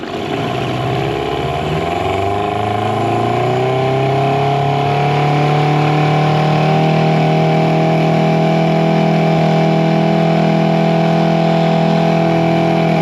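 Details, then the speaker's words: Early-90s 8 hp Mercury two-stroke outboard after rebuild, on a boat, first top-speed test: steady high buzz climbs smoothly and holds at full throttle, no misfire or stumble; healthy wide-open throttle, some air popping later noted at idle. "so let's see what this motor can do on the top end speeds me of our first time testing it so let's see what we can do"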